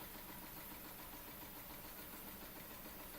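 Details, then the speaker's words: Weeden Model 670 model steam engine, US-made 1930–1940, sight glass damaged so water guessed at about 175–180 ml, heater glowing: soft even chuffing about three per second over light hiss, very quiet; running normally. "But yeah, it runs, that's the important thing. And I can actually see the heater glowing, so, and you can hear the thing hissing away, so yeah, excellent."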